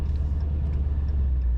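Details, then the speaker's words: 2020 Dodge Scat Pack with ProCharger centrifugal supercharger: deep lumpy V8 idle with faint intermittent high chirp from the belt-driven blower; chirp is normal for this setup. "So you're hearing a little chirp. Yeah. That's the ProCharger. Okay. And so that's the difference too, is you're gonna get, when you're idling, you're gonna get, you know, that, because it's running off the belt."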